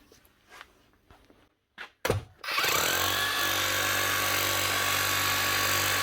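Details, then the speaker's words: Metabo MHEV 5 BL brushless demolition hammer after new connecting rod and O-rings, chisel now locking: motor spins up to fast steady even hammering, starting a little weak until grease spreads, no grinding; working properly. "right wa till she warms up that's her running hammering locking the Chisel Hammer way starts off a little bit weak as they actually start running the begin with that'll keep getting stronger now the more that Hammer's run"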